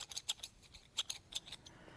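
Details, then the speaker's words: 2005 Chevy Silverado 5.3 V8, over 400,000 miles, engine apart: worn pushrod tip turned by hand in its rocker cup gives sharp, irregular high-pitched chirps; the squeak blamed on a lifter was this pushrod, smooth end silent. "But I think the entire time it was this darn push rod."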